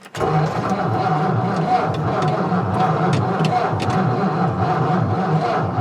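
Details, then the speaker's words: 1955 Ford Fairlane Victoria, off the road since 1992, with a newly fitted fuel pump and fresh fuel added: the starter churns in a steady rhythm and the engine coughs as if trying to catch but never starts. "all right she seems like she's trying I put some more fuel in there hopefully this new pump I put in is working okay"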